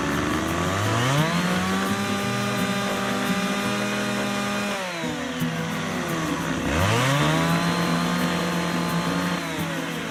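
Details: McCulloch 610 chainsaw after a carb cleaning and final high-speed needle adjustment, set slightly rich: two pulls to full throttle, the pitch climbs and holds steady, then drops back to idle; the mixture is set right.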